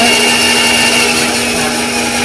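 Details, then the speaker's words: Powermatic 14-inch bandsaw with Carter guides, running very noisy on start-up: a harsh, hissy whir with a steady high rasp and no low rumble; saw suspected out of alignment, with guide bearings pushed too far forward. "so I think the saw is out of alignment because when we came in here, we heard it was very noisy when we turned it on."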